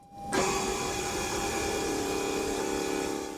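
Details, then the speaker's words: 2011 Mercedes E550 W212 AIRMATIC after replacing the rear air springs and shocks, during an active test inflating the rear struts: the compressor kicks on and holds a steady, even electric whir while filling, running normally. "Can hear the compressor running. It's where we were when we took it off or deflated it."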